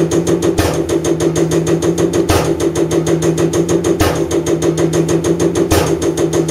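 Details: Common rail injector on a calibration test bench, over 500 shots, after turbo failure caused oil burning and high combustion temperatures: rapid even ticking about three per second over steady pump hum, periodic heavier thump; injector firing cleanly.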